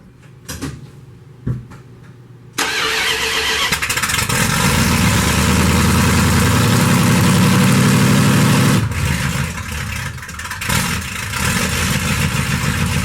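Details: Stock 1991 Dodge D150, 318 TBI V8, just fitted with Hedman 79080 headers and custom exhaust with Dynomax bullet mufflers: cranks briefly, fires and settles to a steady, deep, even V8 rumble; healthy start and idle.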